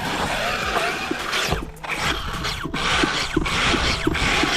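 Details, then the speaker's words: Arrma Kraton 6S V6 BLX RC truck with built diffs, while bashing: irregular sharp ratcheting clicks, roughly one or two a second, over motor whine and gear noise. The diff is failing, slipping and chewing itself up. "Oh my God. Uh-oh. Something doesn't sound good. Uh-oh. I just jinxed it. I think my diff is going out."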